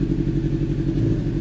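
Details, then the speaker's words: Honda CBR600RR (around 14,000 on the clock, rebuilt wreck) running rough and lumpy with gaps in the beat, sounding like a two-cylinder; a cylinder is dropping out, misfire; owner fears low compression, possibly valves. "Sounds like a two-cylinder. So, we have a cylinder or so that's not working. Not sure exactly what it is. So, we got an issue. You can hear it. Sounds rough."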